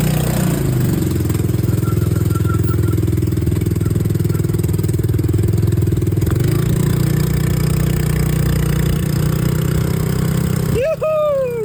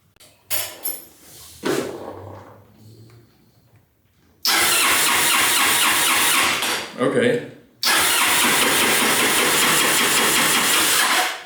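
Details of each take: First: Honda Helix scooter, first start after rebuild, running on old fuel: the small single picks up and holds a steady, even idle without hunting or dying. Normal running. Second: Honda Helix maxi-scooter, just bought, airbox-to-carb intake tube missing and a broken fuse found for the fuel, starter and charging circuit: two long bursts of steady starter cranking, about three seconds each, never firing; cranks but won't start.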